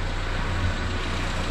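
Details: Renault 5 with C1J Turbo engine, newly converted to EFI with a MaxxECU Mini, trigger settings dialled in and rough base timing set: deep steady drone with an even low pulse, no misfire; runs cleanly.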